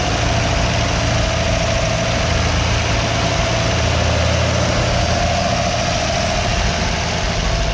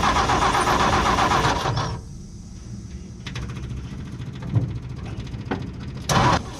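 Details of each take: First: 1958 Ford F100 panel truck six-cylinder after cleaning plugs and replacing ignition points, choke being adjusted: low, steady idle with even firing, now on all six, idle still slightly rough; owner suspects leftover bad fuel in the system. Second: 1958 Ford F100 panel truck six-cylinder, plugs cleaned, fresh fuel from a new tank, carb cleaner used as starting fluid: catches then weak, lumpy, uneven putter with irregular pops, running on only a few cylinders; ignition points later replaced.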